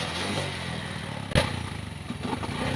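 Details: Pinoy 155 motorcycle, very hard to start, runs like a galloping horse: lumpy, uneven beat with irregular surges and a sharp bang partway through; cause not yet found, air filter or air cleaner under the seat to be checked first.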